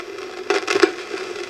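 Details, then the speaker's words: Old GE 12AX7 preamp tube, already weak, tested on a tube microphonics analyzer with audio monitoring: steady mid-pitched hum broken by loud crunchy bursts when tapped, showing a microphonic tube. "So, already this is a weak 12 AX7. Let's see if it's microphone. Oh, yeah."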